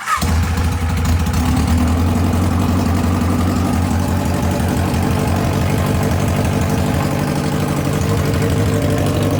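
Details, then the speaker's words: Kawasaki 1000 ATV twin, 76,000 miles, hot start with fan still on, exhaust removed (straight pipes), airbox deleted, carbs rejetted: fires instantly into a loud, raw, steady unmuffled rumble; runs flawlessly. "all right guys if you didn't take the exhaust off you'd be crazy because why not have a straight piped video for this this should be uh pretty entertaining"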